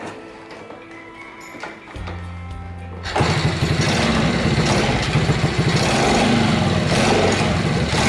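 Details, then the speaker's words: Chaly motorbike, converted from 6V to 12V, after muffler replacement: catches after cranking, then uneven lumpy firing about four per second that never settles; hard starting persists, carburetor next to address. "Ngay cả khi tôi đã thay ống pô, nó vẫn có vấn đề."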